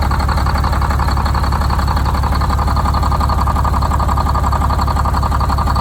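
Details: Detroit Diesel 6-71 two-stroke, first start after new 4-valve head and Davco 382 fuel filter install, valve cover off so not revved: deep, even idle with fast steady beat, no misses, knocks or hunting; idle set via buffer screw; normal idle.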